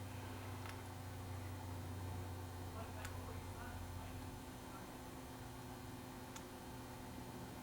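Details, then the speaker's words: 1939/1940 General Electric KL-50 five-tube AM table radio, first power-up as tubes warm: only a steady low drone and faint ticks with no station audio, mains hum showing the amplifier works. "I hear something I hear something I hear a hum the hum is good that means that the amplifiers working"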